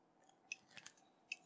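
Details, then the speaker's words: Probing pin 5 of the RAM chips on an Apple IIc Z-RAM Ultra 2 card damaged by an exploded battery: a few faint, irregular high clicks with no steady tone; the pin is floating because a broken trace disconnects it from the rest. "you notice i'm getting nothing for just kind of weird little clicky noises and if i touch the probe i get noise that's because these pins pin five on all of these chips is completely disconnected and just floating in the breeze"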